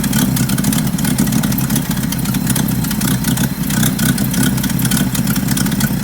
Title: 1975 Bedford CJ running with a nasty exhaust leak